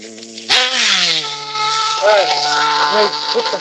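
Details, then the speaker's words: Nitro RC engine on 16% fuel during tuning: a high buzzing that sags and hesitates on each blip instead of revving crisply, sounding tired and down on power. Owner suspects the 16% fuel or the tune; fuel line not yet checked for bubbles. "It's tired. It's tired, brother. But give me a sec."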